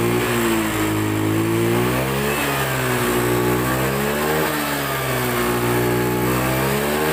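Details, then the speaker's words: Honda Beat FI scooter that sputtered and died, suspected weak fuel pump; with the pump unplugged and fuel fed from an IV bottle pressurised by a hand pump, the engine picks up cleanly and revs up and down smoothly with no stumbling or surging. "dan sekali lagi ini tidak menggunakan selvam kabel dalam kondisi pelepah dan tekanan bahan bakar disuplai oleh infus yang kita berikan tekanan udara melalui pompa tangan"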